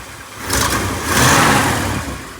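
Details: 1959 Lincoln, fresh start with a couple of quick revs: raspy, chuffy exhaust note under the blips, exhaust leak where the pipe meets the exhaust manifold; otherwise engine runs smooth.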